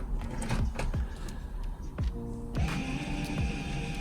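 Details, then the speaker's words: 2012 Renault Megane III GT Line, entering EPB service mode via MaxiCom MK908P for rear pad replacement: short electric whir climbing in pitch, then steady hum as the rear caliper motor retracts the piston, then stops. "Then you can hear the brake doing its thing. Hope you can hear that, the noise. Right, so that stopped."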